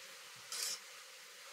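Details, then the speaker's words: Bicycle disc brake, wheel spun in a workstand after centering the caliper: a soft hissing scrape once per wheel turn; a rub in one spot, suspected to be a rotor that is not entirely straight. "you got a little there's a little rub in one spot so that might mean that the rotor's not entirely straight oh yeah you can hear the rub there"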